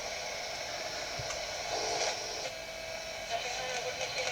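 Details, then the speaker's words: Roberts R900 radio, about 1985, with volume at full giving only thin hiss and a faint station; very low output, suspected fault in the audio amplifier stage, not yet confirmed. "still playing, but the volume was very, very low on it."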